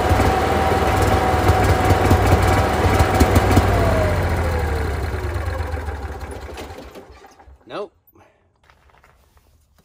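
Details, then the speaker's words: Onan Marquis Gold 5500 generator in a 2001 Fleetwood Bounder RV, after pumping out overfilled oil (still about a third high): starts with a steady hum, then sags and quits within seconds, flashing fault code 1-2-3; cause unknown. "I'm gonna start it up and see if anything happens differently oh that's not good quit right away flashing one two three"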